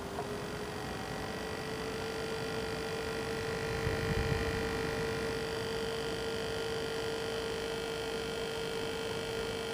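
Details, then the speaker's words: H220 AIO liquid cooler pump spinning up to about 2500 rpm with fans stopped by hand to simulate load: steady whine over a gritty clicking and grinding rattle; owner unsure if pump is failing. "If my computer was actually at load right now, that noise would be a lot louder too."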